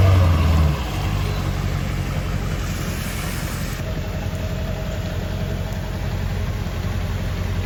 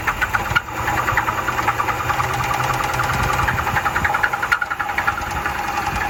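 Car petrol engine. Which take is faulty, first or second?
second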